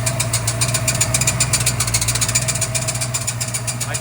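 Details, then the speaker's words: 1966 Mustang with new Blueprint 347 stroker, idling on first drive: pressing the clutch brings a loud, fast metallic clatter, about four knocks a second; owner says it seems to come from the engine, cause unknown. "But it definitely sounds like it's coming from the engine. Man, now what? I don't know what the hell that is."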